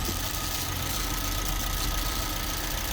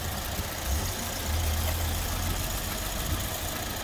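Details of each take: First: Suzuki Swift petrol engine idling after seals changed, still slightly cold: light, fast rattle from a little one-way valve over the hum; earlier rev hunting, no check engine light. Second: Suzuki Swift after refitting the fuel rail and injector seals and plugging in the mass airflow sensor: low, even idle with no more hissing; running better, rough running thought due to the unplugged mass airflow sensor.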